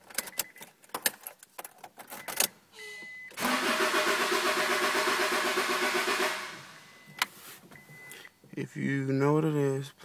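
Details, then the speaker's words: 1998 Honda Accord EX four-cylinder: starter spins the engine at a steady even pace for about three seconds but it never catches; cranks, no start, cause unknown. "It's EX 4 cylinder and it just will not start and I don't know what it is."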